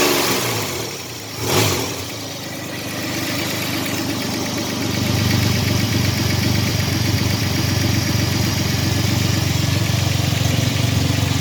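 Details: 1985 Chevrolet S10, 2.8 two-barrel carbureted V6, 2WD automatic, almost 60 psi oil pressure; after firing, idles with a rough tapping about four a second. Engine knocking noise, cause not yet found.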